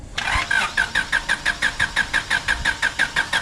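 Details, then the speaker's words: 1996 Honda Civic coupe sitting untouched 8 years, on a jump box, priming the fuel pump: steady cranking at about five beats a second with no firing. Cranks but won't start; fuel smells of varnish and fuel pressure is unconfirmed. "All right. So we got some turnage. So let's prime it a couple more times. Just key off, back to on."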